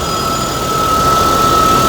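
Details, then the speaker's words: 2013 Toyota Tacoma at idle: steady high-pitched squeal over the engine; customer unsure whether alternator, pulleys or water pump. "I'm sure you guys can hear by now, this customer is getting a squeal at idle. Now they don't know where the squeal is coming from."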